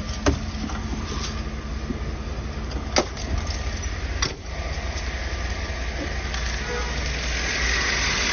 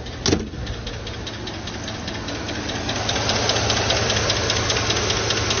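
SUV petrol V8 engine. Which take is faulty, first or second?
second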